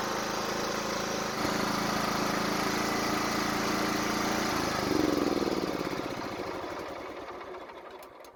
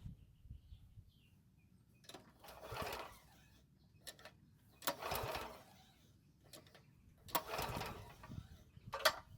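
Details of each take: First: Toro walk-behind mower, low compression, fuel line reconnected and tank refilled; steady even beat about four per second, clean, spins down smoothly at shutoff; still sounds good, normal running. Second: Toro walk-behind mower that stopped and won't restart, months-old fuel in tank: three short pull-cord whirrs a couple of seconds apart, each dying without a single firing; turns over but no start.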